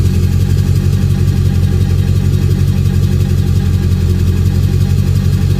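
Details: Ford 7.3 Powerstroke diesel at idle with a deep, steady knock repeating roughly three times a second under the engine rumble; source of the knock unknown.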